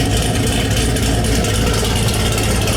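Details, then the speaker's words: Chevrolet Camaro ZL1 with Nickey Stage 2 package (Stage 1 cam, cold air intake, 2" headers, 160 thermostat, 2.55" upper/15% lower pulleys, 93 octane) idling on the dyno: loud, choppy V8 lope from the cam, no ticks or knocks; normal cammed idle, stock-like above 1300 rpm. "You can't tell it's got a cam in it, but it's still got that nice chop, kind of stuff we designed in."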